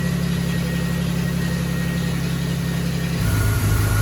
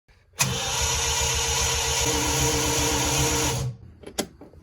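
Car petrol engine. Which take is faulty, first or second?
second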